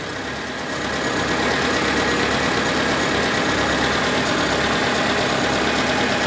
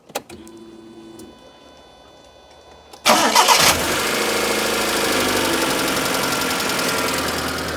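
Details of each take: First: Proton Satria 1.5, bought cheaply after standing abandoned in a field: engine idles with a surging, uneven note and an occasional missed beat after the ignition coil and plug leads are refitted; compression test finds hardly any compression on cylinder 1. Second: Proton Satria 1.5 with misfire and low compression on cylinder 1, after adjusting valve rockers, airbox off: cranks, catches, settles to steadier idle with light fast top-end clatter; valve clearances likely slightly loose.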